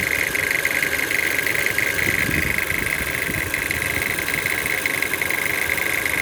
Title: CHR Engine Rattling Noise (1.2 Turbo)